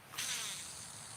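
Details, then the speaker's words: Daiwa/Shimano BFS baitcasting reel casting a 1.7 g lure about 60 feet: a thin high-pitched whizz on the cast fading as the spool spins down; spool noisy, almost like dragging, but free-running and casts well. "You hear how noisy all that is? It almost sounds like it's dragging."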